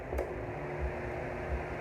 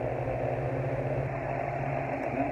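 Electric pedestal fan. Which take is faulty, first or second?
second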